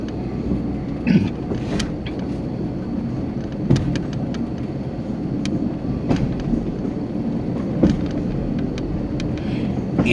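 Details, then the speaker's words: High-rail vehicle under 10 mph, camera on dashboard, near MP 109 on a 4-degree curve with 5-inch superelevation, before tie restoration: low rolling rumble with irregular heavy bangs every second or two; track banging from deteriorated ties. "good the video i'm sorry the audio will pick up the noise and that's good that they can hear the banging i think why it had to be restored"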